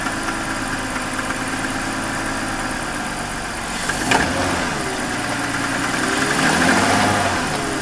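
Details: 2001 BMW 530i M Sport (E39) at idle: even idle with faint, quick ticking knock about three to four per second; recently developed abnormal engine noise, cause still being investigated before repair.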